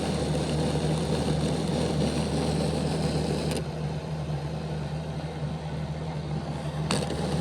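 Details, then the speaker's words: Bachmann Dash 9 model locomotive, rear motor block cocked with poor contact to the contact strips inside the housing, running reversed on the club layout: low rough growl, more of a growl than the front block, steady hum sagging and dropping out; fixed by reseating motors. "While the motor block didn't stop, the sound was prevalent, and you could hear that it was making more of a growling sound than what the front motor block was making."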